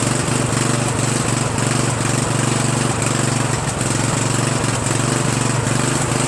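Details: Murray 14.5 42" Widebody LT lawn tractor single-cylinder engine after muffler refit, carburetor adjustment and choke linkage cleaning: settles into steady even run with smooth exhaust beat, no knocks or misses; normal running.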